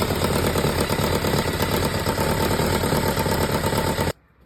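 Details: Kawasaki ZZR1100D after muffler swap (SP Tadao Techsurf): big four idles with a fast, loose clattering rattle over the exhaust beat until shut off; owner unsure whether mechanical noise or exhaust leak.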